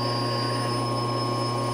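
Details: Supermax YCM-16VS Bridgeport-clone milling machine with Anilam Crusader M control, spindle run with turbo engaged; loud constant high-pitched squeal with steady tone plus a cranking noise, spindle gearing or timing belt issue suspected.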